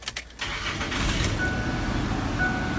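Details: 2007 Ford F-150 4.2L V6 that blew fuse 102 (ignition switch feed) intermittently on startup, after ignition switch replacement: a brief crank, then it fires almost at once and settles into a steady, even idle. Normal crank and start.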